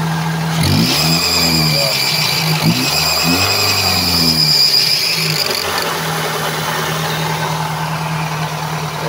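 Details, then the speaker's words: Toyota Altis idling and revving with a steady high-pitched fan belt squeal, loudest at revs; belt already replaced, the noise comes from a weak tensioner that no longer holds tension. "Toyota altes mga kalam problema Pulag fan belt atong diskartehan niang iang tensioner kay wala hawid naang kwan iang tensioner"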